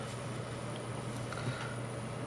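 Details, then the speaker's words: Scythe Susanoo CPU cooler with four 100mm fans fitted in a system, fans on low speed: faint steady low hum with thin high whine, quieter than the board; normal quiet fan operation. "It is really quiet actually. I can actually hear the board more than I can the fans."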